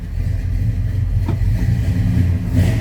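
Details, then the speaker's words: 1970 Chevrolet K10 4x4 with 350 V8, in neutral, at idle: deep steady burbling rumble, even firing, no knocks or ticks; good-sounding engine, normal idle. "little rumble coming out of that 350. Good sounding engine."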